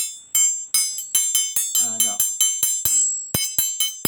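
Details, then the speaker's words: Folding knife, size L, high-carbon steel blade 7.5 in, 9 in handle; blade flicked by finger to test hardness. Sharp flicks about every third of a second, each with clear sustained high ring; well-hardened steel. "Jadi cara paling senang, trik paling senang nak tahu, tuan-tuan pegang je pisau tu kan. Jentik pun boleh. Jentik pun boleh."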